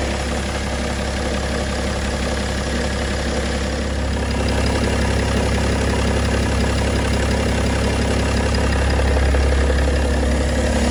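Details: BMW E92 325d with M57 diesel at idle, with a regular light tick about three per second over the diesel clatter; possibly the timing chain, not confirmed.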